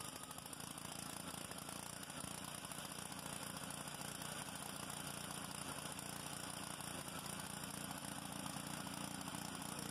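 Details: Honda GCV190 pressure washer engine after carburetor cleaning and new homemade gaskets, previously a no-start: steady, even single-cylinder beat at constant speed with no surging or hunting; running normally.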